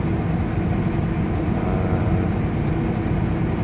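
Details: Hyundai 225 excavator diesel after replacing the faulty electro-valve that caused intermittent no-start; deep steady drone at constant speed, no misses or surging; normal running.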